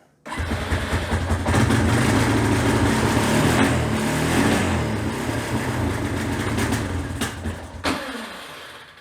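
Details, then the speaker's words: Honda TRX350TM Rancher 350 ATV, ridden hard, smokes, engine noises, cylinder looks newly replaced, air filter unserviced; catches and runs ragged, never settling to clean idle, then sags and dies — rough running and stalling. "It runs a little better than that. That's about all you get."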